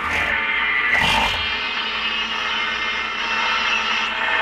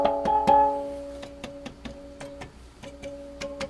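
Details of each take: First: G.E. Model 254 tube portable radio on dim bulb tester: music comes through gritty and warbling, rising and sinking in waves; distorted audio, suspected AVC problem, not confirmed. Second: G.E. Model 254 tube portable radio, restored and in cabinet: plucked-string music comes through clear with no crackle, hum or ringing distortion; playing cleanly.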